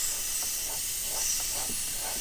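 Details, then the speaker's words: 2008 Mercury 225hp Optimax gearcase off a Champion 198 SC, removed after water was found in the lower unit, under pressure test: constant high hiss of air escaping past the failed prop shaft seals. "oh yeah you can hear it but where is it coming it's coming out right around here somewhere"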